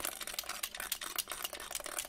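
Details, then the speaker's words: Sega Game Gear handheld console being repaired, shaken: dry, scattered clicking and light rattling from something small loose inside; debris found in the battery compartment. "Ah ouais, il y a un truc dedans. Ah, c'est quand même pas bon signe."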